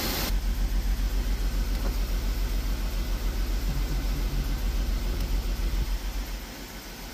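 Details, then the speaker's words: Freshly built Jeep XJ 4.0L inline-six, first run after initial heavy misfire: low, fairly even idle thump with only a faint stumble left; still missing slightly but idling much better. "oh it fixed itself and it's idling better yeah maybe maybe it just had to be woken up it's still missing but not as bad no nowhere near as bad"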